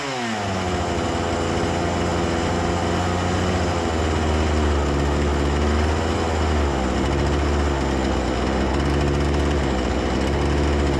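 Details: Husqvarna 236 two-stroke chainsaw that stalled at idle, after carburetor service and idle adjustment: revs briefly, then holds a steady even buzz without stalling or surging; idle properly set: normal chainsaw running.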